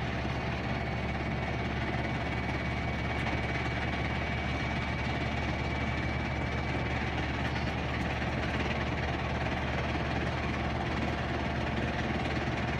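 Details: Whirlpool Duet front-load washer ramping up into high-speed spin with a big load: steady fast spin roar, even low drum hum, slight load vibration (vibration sensor monitors it), no grinding or knocking. Normal spin.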